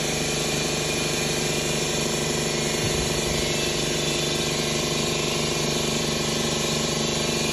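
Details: 2011 Ford Escape 2.5L with P0300 and P0301–P0304 codes, misfiring on cylinders 1 and 2. Hard, uneven chuffing about three a second over a rattly idle, a dead-cylinder stumble; engine removed and a broken valve found in cylinder 2.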